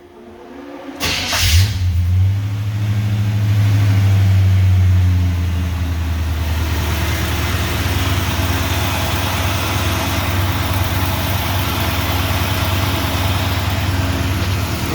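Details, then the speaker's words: 1952 Navy truck, first fire-up of the engine with initial timing being set, recorded on phone: engine fires, revs briefly, then holds a steady idle that stays a bit fast; high idle speed. "might still be a little high on there there we go"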